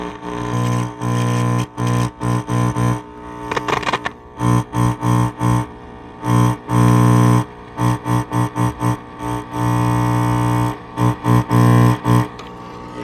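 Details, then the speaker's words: Philco Model 7030 signal tracer, first power-up after a new capacitor: buzzy distorted guitar playback with a rough rattle on every note and bass peak; speaker rattling, voice coil suspected broken. "Speaker sounds like it's rattling."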